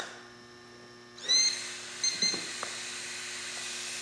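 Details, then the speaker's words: Trend Airshield Pro fan after cheap dowel fix, motor slid back into dowel without over-sliding to avoid blade binding, powered from battery pack: quiet start then steady airy whir, no rubbing or ticking; fan runs clean with good airflow. "And no problem. Nice airflow."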